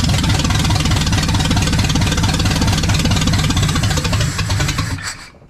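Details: Restored 1979 Ford F100 with a brand new engine on first fire: deep, even V8 rumble with a steady firing beat for five seconds, then it sags and quits as fuel runs out; the engine itself sounds healthy.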